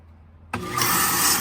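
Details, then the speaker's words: 7.5 hp pump motor after its pump start relay was replaced: it kicks on into a loud, rough, hissing grind. Worn bearings inside the pump motor are suspected and are expected to get worse without replacement. "but that noise you're hearing is the bearings inside of the pump going bad that pump motor will need to have some new bearings installed in it or it's just going to get worse"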